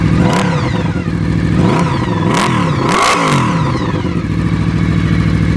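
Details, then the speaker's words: Honda VFR800 Interceptor V4 reverse trike with a loud exhaust, recorded on a phone mic; deep exhaust climbs and falls cleanly through several quick blips with no knock or misfire; normal revving. "Yeah, that was like $4 grand. It's pretty loud if you want it to be."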